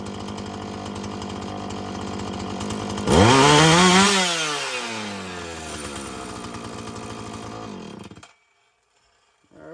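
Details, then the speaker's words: Husqvarna 445 chainsaw that bogged on throttle, restarted after richening the high-speed mixture, before cleaning and final tune: snaps up to full revs, then falls back smoothly with no bogging. Running cleaner and getting better. "It's getting better. I think it's going to soften up just fine."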